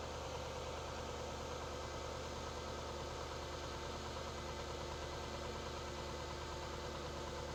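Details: Jaguar X100/X308 V8 (XK8/XKR/XJ8) after instrumount (airbox rubber damper) replacement: quiet, smooth idle with soft even pulse, no tapping or misfire; "sweet as a nut", healthy.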